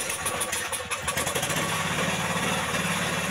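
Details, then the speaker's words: Jarwo Crown rice transplanter single-cylinder engine, hard to start, heavy black exhaust smoke and won't rev: uneven, stumbling beat that never settles; running rich with excess fuel through the carburetor, carburetor mixture adjustment needed. "di situ bisa kita lihat asap yang ada pada knalpot itu sangat luar biasa yang bertanda bensin itu berlebihan masuk ke bagian karburator"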